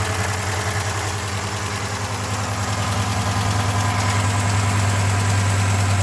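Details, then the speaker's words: Dodge Charger HEMI with electronic throttle, idling: deep, even knock about 200 a minute low under the idle from the bottom end, not extremely loud; rod bearing knock, MDS solenoids won't fix it, oil pan removal planned. "so you don't have a throttle cable when you rev this thing up you can hear that bottom in not extremely loud"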